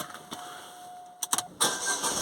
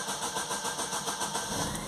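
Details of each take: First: Astra with long crank and P0340 intake camshaft sensor code, after new cam sensor fitted: a few clicks and a chime, then fires on first turn and settles into idle; starts straight away, engine light still on. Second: Astra long crank: steady rhythmic churning of the starter turning the engine over without catching for a long time before it starts; fault code P0340, intake camshaft position sensor circuit, sensor faulty.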